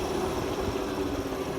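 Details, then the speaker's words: Nissan Leaf electric motor converted Oliver tractor running at slow speed, out of gear, driving original two-speed transmission and PTO; steady mid-pitched whine over constant low rumble as transmission and gearboxes turn; normal gearbox noise. "slow because of the slow speed that I have it running at right now you can [Music] hear how how much noise all the oh transmission and gearboxes make"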